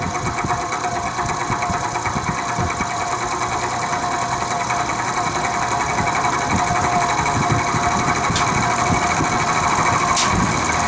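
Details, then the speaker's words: Vintage Penncrest (Lakewood) 3-speed 20-inch box fan, a trash find stored six years, runs on low after its motor bearings were drowned in WD-40. It has a fast steady mechanical rattle over the hum. There is no motor side play and no loose blades; the cause is unknown. "Seems to have quieted down a bit, but the rattle still persists, so I'll start it up on low."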